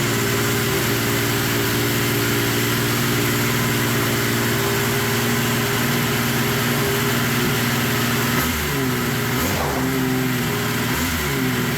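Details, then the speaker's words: Yamaha triple snowmobile engine swapped into a Polaris RZR XP, started with the key switch bypassed after a no-start following disassembly: steady, even three-cylinder idle with brief blips, settling back smoothly. Sounds good; normal idle. "hell yeah sounds good doesn't it sounds good"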